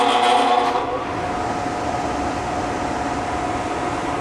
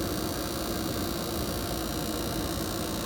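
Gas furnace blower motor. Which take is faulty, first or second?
first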